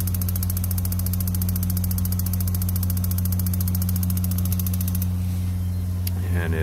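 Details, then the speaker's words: 18L gas tankless water heater with water running and gas supplied: rapid steady igniter clicking, about three per second, over a low hum, and the burner never lights; gas solenoid valve will not open. "I will click on the unit then it won't look and the igniter just goes and goes and goes and you can hear that the Scylla no it won't open"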